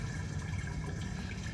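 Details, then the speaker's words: Toilets each flushed with 5-gallon buckets of water after plumbing service: strong, steady rush of water gurgling away without backing up or choking; drains flow freely. "Now Alicia's dumping 5 gallons of water in all the toilets. You can hear it, it's doing really good."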